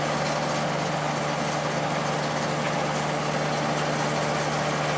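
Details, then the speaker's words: Late-90s 40-pint Whirlpool Accudry dehumidifier, reciprocating compressor, Emerson fan motor, running opened up: even compressor hum with steady fan rush; normal running, evaporator very cold top to bottom. "Here we go down to the bottom. Yeah, it's getting really cold all over."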